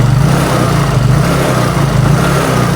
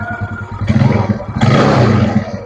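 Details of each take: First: Used Yamaha Mio carbureted scooter on its stand, newly bought, weak power: rough uneven beat with faint metallic pinging louder when throttle opened; rocker arm and camshaft area suspected. Engine pinging with low power. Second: Older carburetted Yamaha Mio, after repair for lack of power and a rough engine, with a machined pulley and a replacement racing carburetor: it fires, settles into an even, low thrum and revs cleanly. Normal start and idle.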